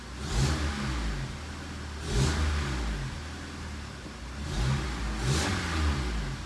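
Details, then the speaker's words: 2003 Honda CR-V after timing chain repair, idling around 900 rpm with no codes and long-term fuel trims at 0%: clean blips falling back to smooth idle, no rattle, tick or hesitation; normal revving. "thing seems like it's running really good we're running it like 900 RPM spark advance is good IAT yeah everything looks great"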